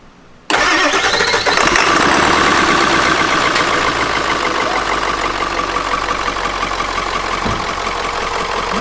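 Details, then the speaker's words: Ford E350 4x4 van, 7.3 liter diesel, cold first start. Starter grinds at three or four beats a second before it catches into a rough idle; hard cold start, owner suspects glow plugs needed longer. "I think we just needed a let it sit on there a little bit longer and then actually because I was pulling it off I let the glow plugs down for like 10 seconds"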